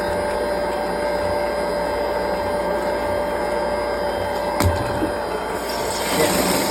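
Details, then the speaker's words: Flint & Walling VFD constant-pressure booster pump with a TS20 controller on a well at startup: a steady motor hum easing off as pressure reaches 60 PSI, drawing 4.3 A at 51 Hz and nearing its sleep setting; normal running. "That pressure was good. All right. See? Now we're at 60 PSI. Sorry, you can hear it slowing down."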